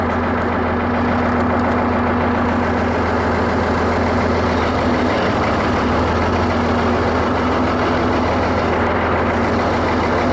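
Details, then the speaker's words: Ford 8600 diesel tractor during restoration, left running: loud, steady low drone from under the floor, a horrendous drivetrain noise; cause not yet known. "That little bit I left it running, there's a horrendous noise coming out from under the floor now. That noise I was telling you that makes it now move."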